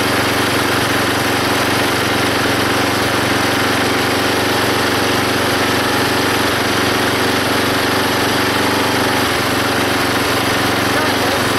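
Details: Belt-driven log splitter small engine after fitting a homemade spring-tensioned idler arm and pulley to stop the belt flying off: steady even drone under splitting load, no squeal or belt slap; hardly any belt or pulley slipping.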